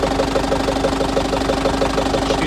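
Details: Diesel idling, coolant about 60–65 °C, oil pressure about 2.2–2.3 kg warming (4 kg cold): sharp even tapping about six per second; knock appeared, driven 1000 km since, cause not pinned down.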